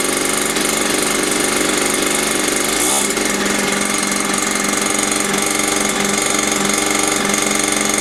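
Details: Mini dirt bike found in a skip, after cleaning, priming and idle screw adjustment: busy raspy small two-stroke buzz holds steady, no misses or knocks; revived engine running normally.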